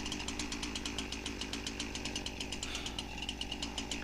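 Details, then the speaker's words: Husqvarna 346XP chainsaw after a clutch swap stopped chain drag: screams at high revs with a buzzy, slightly uneven beat, not running right; air leak found at the cylinder base, with base bolts having no tightness. "you can see we obviously got a leak somewhere around the intake boot maybe the base gasket"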